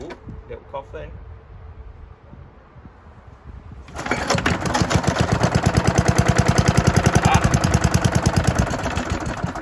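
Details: 1972 Hayterette mower, very worn after hundreds of hours cutting a paddock last year, cold start after sitting six to seven months with fresh fuel topped onto old fuel: weak pull-cord tugs, then fires into a fast, uneven putter; hard starting.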